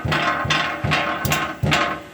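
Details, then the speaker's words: 2023 Jeep Compass Flex T270, rear knocking while driving: five hollow metallic knocks with short rattles when the fuel tank shield is struck, caused by a stone fallen inside the shield after dirt-road driving. "Andei com ele, ouvi um barulho, pá, pá pá, batendo na traseira, levantei o carro, certo? Visualmente, amortecedor, não tinha nada. Eu vim cá e batia na chapa."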